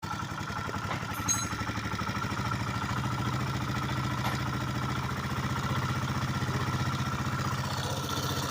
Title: motor fazendo barulho.#automobile #vlogs #motovlog #oficina #carros #pop #gambiarra #dicas #mecanico